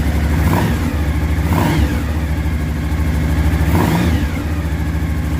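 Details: Suzuki V-Strom DL1000 first cold start after clutch basket replacement and valve adjustment; cold V-twin blips up and settles cleanly with steady low thump, no rattle or knock, smoke from left judged normal cold: normal running.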